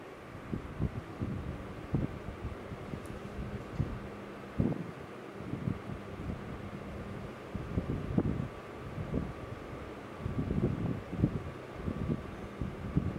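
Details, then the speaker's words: Fujitsu inverter multisplit air conditioner outdoor unit after repair of short-circuit-like noise: normal operation, steady fan rumble with faint even compressor tone, wind gusts on mic; no error code on indoor unit. "podemos ver moto ventilador funcionando compressor funcionando detalhe aqui ó na evaporadora nós não temos código de erro tá funcionando tudo certinho"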